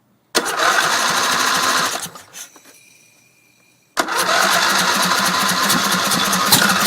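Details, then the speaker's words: Briggs Intek engine on a racing tractor with stock throttle, primed with gas down the intake: catches, runs about two seconds, fades and stops, fires again on fresh prime; runs only on priming fuel, fuel starvation. "nasty so still not getting gas but uh stay tuned it will run"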